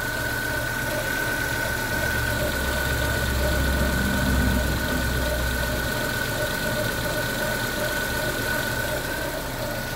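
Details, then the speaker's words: Warm idling GM engine (Onix/Spin/Celta/Montana/Cobalt family) with a steady thin high whine from the timing belt, suspected over-tensioned or tensioner turned the wrong way (clockwise instead of anticlockwise); customer reports it worsens when hot. "eu ouvi mesmo um barulho da correia meio tipo super esticada Ou aquele negócio invertido vamos ver aqui na prática ó pessoal o barulho que a cliente reclama quando esquenta piora"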